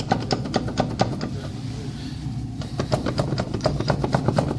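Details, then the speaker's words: Rapid dry clicking, about four or five a second, over a low rumble from a badly worn wheel bearing, so bad the wheel may soon come off. "друзья она нельзя так ездить нельзя даже же кошмар подшипника рту него будет [музыка] колесо скоро оторвется"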